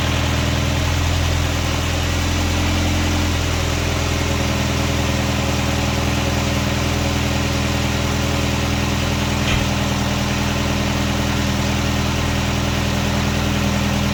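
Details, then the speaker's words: 1999 Nissan Sentra 1.6 idling after an EGR delete and new headers were installed: a steady, smooth low hum with no ticking or exhaust puffing. Much quieter than before the repair. Owner notes a little oil smoke near the oil pan. Normal idle. "Nice and quiet compared to how it was before."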